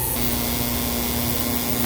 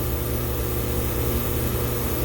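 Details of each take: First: Glycol beer-line chiller pump after switching over, not overamping: steady motor hum with rough uneven rattle that wouldn't quiet down; packing foam left inside the pump rattling. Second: Glycol beer-line chiller power pack, restarted after switch work with two pumps and compressor on: steady even hum without rattle or surge; chiller running normally.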